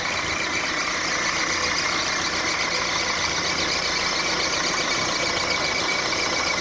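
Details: Engine squeak at idle on a 1.4 litre petrol Mark 4 Volkswagen Golf: steady idle with a thin, high chirping squeak riding above the engine at the front; owner suspects a drive belt pulley or maybe the water pump, source not confirmed.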